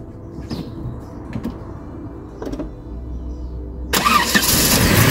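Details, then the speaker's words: Vauxhall Cavalier Mk2 after new starter motor fitted: starter turns briefly, engine catches quickly, then with choke pushed in settles into an even, steady tickover. "There we go, choke's pushed in now, ticking over nicely."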